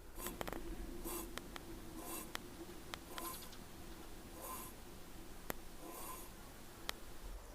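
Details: Rear-axle drum brakes with NIBK shoes, about three years of use, scraping when braking; wheel turned slowly by hand gives a dry, gritty scrape rising and fading each turn; burnt lining dust buildup, cleaning drums and shoes stopped it.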